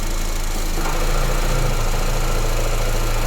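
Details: Honda Airwave CVT at idle: a low, steady drone rises over the engine as the transmission is shifted from neutral into gear. Finding: transmission hum in drive.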